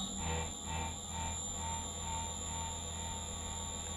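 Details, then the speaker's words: Editron permanent-magnet motor on an NX drive: steady hum with a slow, even surge about twice a second that fades; fluctuating torque from speed-regulator oscillation caused by the KP/TI tuning settings. "this is oscillation caused by my settings here and the torque is a little bit sometimes you freedom easy"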